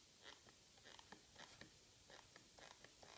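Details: Microsoft Designer Bluetooth mouse, bought 2015, creaking after one month of light use: short, quiet dry creaks and clicks in uneven bursts when the palm rests on it and presses the left button; shell creak suspected.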